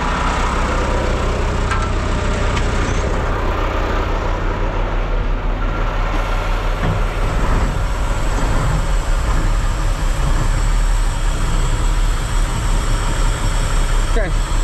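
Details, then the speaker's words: Mack diesel truck, 24-volt system, started after regaining lost fuel prime: steady, even low idle rumble with no misses or knocks while airing up; normal idle. "And then she should start right up now that she's primed up."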